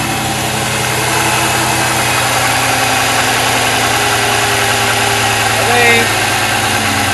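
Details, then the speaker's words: LS1 turbo one-tonner on E85 after sitting for months, with a new Walbro 525 pump replacing a worn 460 and cleaned injectors. Fuel pressure holds close to 50 psi while warming up; steady, even idle with no stumbles, calmed down and running properly. "it's just calmed right down it's definitely running properly now which is good good fuel pressure helps that's for sure"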